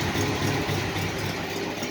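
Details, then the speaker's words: 1968 International, original never-rebuilt engine, about 20–25°F outside, after cold start coming down to normal idle: steady even low rumble, no knocks or misses; normal idle. "as soon as you'll come down there for a little bit boom now she's at a normal idol just purrs along"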